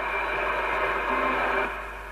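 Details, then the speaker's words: 1954 Philips large valve radio, one of the first with an ECC85 VHF circuit, meter probing voltages: steady reception hiss rises when the point is touched, then sags; open, unconnected resistor. "It's 130, that's low already, and that appears to be 150, and this one appears to be nothing."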